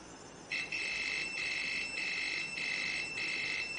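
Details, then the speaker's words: Khind ARF-3000 air fryer that won't switch on, thermal fuse tested with a multimeter continuity beep on the red wire: beep breaks into short bursts about four a second instead of one solid tone as on direct probe contact; thermal fuse is failing. "Okey, terdapat bunyi, cuma mungkin bunyi ni agak terputus-putus, tidak sama dengan bunyi ujian tanpa kita sentuh kepada thermofuse tadi."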